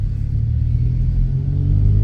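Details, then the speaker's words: 2008 Honda Civic Hybrid on a test drive: deep, steady exhaust drone swells as the car pulls away, louder than normal but not bad; wheel bearing noise also present. "There's the louder exhaust that they're talking about. It's not bad, but it is there."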